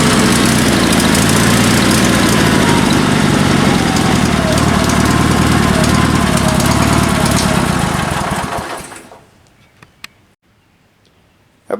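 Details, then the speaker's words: Sears Suburban SS16 twin-cylinder tractor on rebuilt spare engine after a broken connecting rod: lumpy chug near 230 a minute runs evenly about eight seconds, then fades and dies; idle cutting out, owner suspects fuel/carburetor pulse pump, unconfirmed. "it definitely runs pretty good and a lot better than what it did but I still need to do a little bit of fuel work to it I'm not sure why it kind of cuts out like that"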